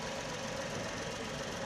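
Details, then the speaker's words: Tata Tiago petrol engine at idle after ECM repair fixed a misfire: steady even idle with no stumble, hunting or missing beats; engine now smooth and healthy. "इस SIM repair करने के बाद आप देख सकते हैं की engine कितना ज्यादा एकदम स्मूथ हो गया जो आइडल कंडीशन राहत है एकदम ना कोई हंटिंग नाम मिसिंग है"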